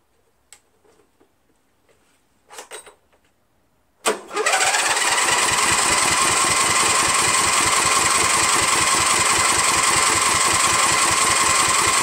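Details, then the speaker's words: 13hp Briggs flathead on MTD Cub Cadet lawn tractor, no air filter fitted: starter spins steadily at three to four beats a second for eight seconds but never catches; suspected fuel not getting through dirty carburetor. "Hey so it doesn't start let's take the air filter to cover off and the air filter and shoot some primer in there just to see if we're getting any fuel"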